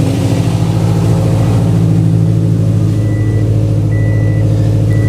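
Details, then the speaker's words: Fully built Subaru EJ25 flat-four idling after reinstall, warming up, coolant temp rising; 43.5 psi fuel pressure, good oil pressure and fuel trims, no knock. Steady even idle, no tapping, soft chimes; sounds much better, healthy. "Boost is good. Dam is good. No knock. And it sounds so much better."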